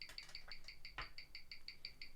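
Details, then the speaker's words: Mechanical watch on a Weishi 1000 timegrapher, reading −7 seconds a day; crisp, even ticking at about six beats a second with a steady beat, running slightly slow. That is only two seconds worse than the owner's real Rolex Explorer II at −5 s/day, which he says needs servicing. "all right that looks like the time negative seven seconds unbelievable unbelievable it's only two seconds worse than my real Rolex here I don't believe it"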